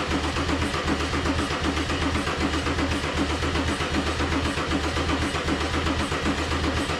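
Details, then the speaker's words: Mercedes 190E (W201) with swapped OM606 diesel, OM603 mechanical fuel pump and Holset turbo, first start attempt: steady cranking about one pulse a second that never catches; smoke from the EGR suggests fuel is injecting. Cranks, no start until the battery apparently dies; cause unconfirmed. "all right we've got smoke coming out of the uh egr which means that we've got exhaust which means that we've got fuel coming in through the injectors so hopefully it will fire up before the battery dies"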